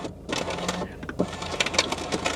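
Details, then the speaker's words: 17-year-old VW Passat, passenger-side front power window operated: harsh, uneven crunching and clicking like a paper shredder as the window moves; window mechanism grinding, cause unclear, while the other three windows work. "H that sounds horrible like a paper shredder right we'll leave that alone"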